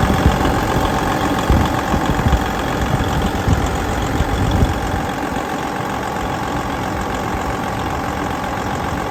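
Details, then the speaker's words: 2012 Freightliner Cascadia with DD15 diesel, 13-speed manual, idle raised on cruise, oil pressure about 65 psi, DPF light on: deep steady diesel clatter, even and unchanging, no knocks or misses; normal fast idle. "So I'm just gonna put it up on cruise a little bit. I want you to hear the engine running. So you can see we've got it up to 125."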